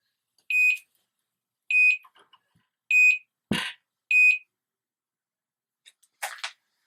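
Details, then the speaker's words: GM-434RTL wireless garage door monitor: sharp high beeps about once a second, four in a row, as the receiver flags the zone one door open after the sensor's rod drops out when the door rises. "once the door raises high enough and that Rod slips down and drops out then that's going to set the alert off that's going to set it off"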